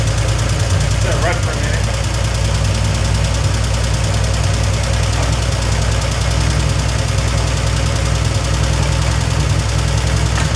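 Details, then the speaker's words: 1971 Triumph TR6 six, freshly started after 20 years laid up, running rough on choke. Constant light ticking clatter over the exhaust beat: rockers binding on a skewed rocker shaft with a front gap, and the rocker tops are getting no oil. "Got it to run, but we weren't getting anything on the top end of the rockers happening. And it looks like the rocker shaft is kind of like a skew."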